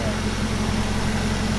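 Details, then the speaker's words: Petrol engine on the car's first start, which runs great; the long block will be reused. Even, steady low drone with constant pitch, no knocks or ticks: normal idle. "there it is first track runs great"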